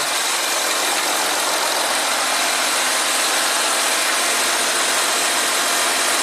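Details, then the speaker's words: 2014 Audi Q7 TDI, engine idling, air suspension faults (compressor overheat, valve timeout codes): steady even hiss with no pulsing over quiet idle as compressor runs, front end definitely lifting. "all right okay now you can hear the compressor run let's see what's happening outside it's definitely lifting"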